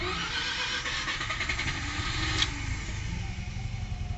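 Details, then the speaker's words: Mazda RX-7 rotary just started in neutral, clutch in, no throttle; ragged, lumpy running as if firing on only one rotor, then heavy misfiring before it dies. "Oh, it seems like it was only running on one rotor. There it goes. It's misfiring pretty heavily now though."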